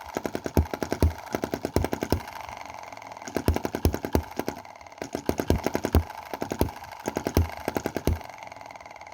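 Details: Small Chinese EM2/M19 hit-and-miss petrol model engine, running rich with spark plug fouling: pops out uneven clusters of sharp firing beats with gaps, misfiring, before cam adjustment.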